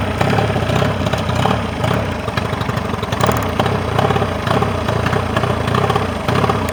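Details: Mercury 40 two-stroke outboard that came in not idling, bottom cylinder not firing on balance check; after repair it idles with an even crackly beat on both cylinders, no skipping, no crankcase leak; normal idle.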